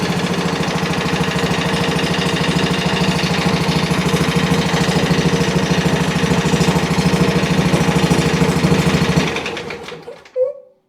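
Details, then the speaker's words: Country Clipper Challenger 52-inch zero-turn mower after removing locked-up PTO clutch bearing that caused no-crank: steady, even single-cylinder thump at constant speed with no binding or drag, then clean shutdown; runs normally, oil leaks remain. "Let's see how this thing runs now without a locked up PTO clutch on it. This thing's completely free. There's no hanging up whatsoever to it anymore. That's amazing."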